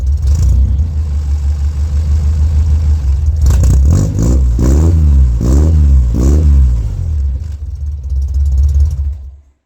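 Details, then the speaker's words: D50 truck with the old red cherry bomb muffler, the before recording; owner disliked how it sounded. Deep, throaty idle rumble with sharp throttle blips that rise and fall; loud, raspy note, engine running fine. Normal exhaust note with cherry bomb muffler. "Since I forgot to get tabs today, I decided I didn't like the way the truck sounds really."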